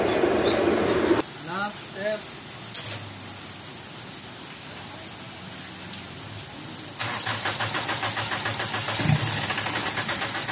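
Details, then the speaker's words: Mitsubishi Pajero diesel that starts then dies after about a minute: it runs with an uneven chug only while the priming pump is worked. The injection pump lacks pressure and leaks by; the shutoff valve checked fine, and the return is weak. "So kinukulang talaga siya ng ah pressure compression y yung ah kinukulang siya meaning lumulusot"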